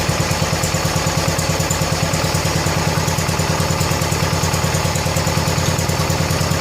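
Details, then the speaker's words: 1970 John Deere 140 H3 garden tractor single-cylinder, just after replacing a severely leaking blown head gasket: even, steady thump at low idle, no knocks or misses; runs good and quiet, left running out of gas before oil change. "That thing just fired right up like I just mowed the lawn with it. That thing runs just as good and quiet as the other one does."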